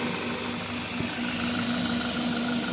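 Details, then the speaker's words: 2000 Toyota Celica GTS, 2ZZ engine, warm at 90 °C, after the IAC valve was cleaned and fixed (had idled at 1800 rpm): steady, even idle hum around 750 rpm with no hunting or surging. Normal idle. "h so you can see here that is is idling properly now it's at it's been running the whole time as that operating temperature and uh that's a pretty good Idol pretty good operating temperature"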